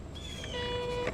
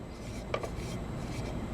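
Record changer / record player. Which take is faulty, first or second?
first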